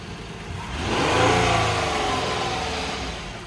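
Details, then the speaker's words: 2008 Ford Edge with a missing battery, started on a jump box. The engine swells smoothly up through a rev and eases back down with no knocks, rattles or misses; normal running. "actually sounds very good"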